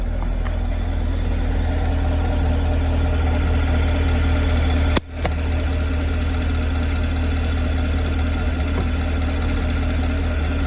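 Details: 2017 Chevrolet Camaro 6.2L V8, about 20,000 km, stock, steady warm idle with a faint fast light tick; only when warm, rear driver-side engine bay, clearest from below near oil filter/pump; source unclear, owner fears engine damage.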